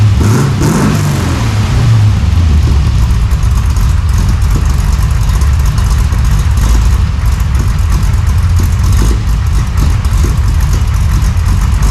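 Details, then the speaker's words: 1968 Chevy Nova SS V8 with new Flowmonster 409 stainless straight-through mufflers replacing the leaking chambered exhaust, no tailpipes yet: deep, loud, even thumping idle with a rev blip, no ticking or leak puffs; healthy. "Don't get me wrong. There was leaks everywhere, but that's the sound I was looking for. That deep-chested thump, not too loud at idle. Sounds great under acceleration."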